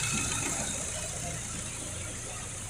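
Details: Ford EcoSport with Zetec Rocam 1.6 engine after repair; its loud, horrible knocking noise was the catalytic converter, not the timing chain: quiet, steady idle under a constant hiss, no knocking or rattle; engine sounds healthy.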